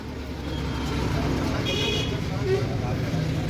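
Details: Low uneven rumble with rough, jerky drive at light throttle from an e-rickshaw BLDC hub motor; rotor magnet sits misaligned with the hall sensor and the shaft is damaged, making the rickshaw jerk.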